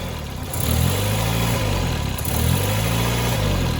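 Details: Miata with completely flat tires that was just driven off the trailer, starting and revving: two clean throttle blips, revs rising and falling smoothly with an even exhaust note and no misses; runs normally.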